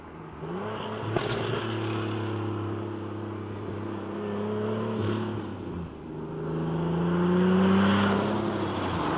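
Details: Single-turbo 370Z Nismo on a road drive after an exhaust-leak repair, on a hot day near 100 degrees. It pulls smoothly through the gears with clean rising notes and no ticking or puffing. Normal exhaust note, sealed and healthy.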